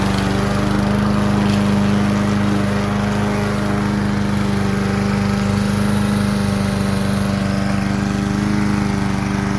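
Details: Kohler Courage XT-7 push-mower engine: steady, even single-cylinder drone at constant speed with no misses, knocks or rattles; running smoothly and healthy.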